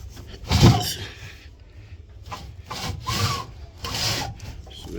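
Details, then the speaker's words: Daewoo washing machine, drum stuck and hard to move, belt came off; slow hand-turned drum scrapes and drags every turn; damaged spider arm has been cutting into the drum. "hard for the drum to move then the the belt came off so after inspection you can see the drum has been cut just been eating the [Music] drum"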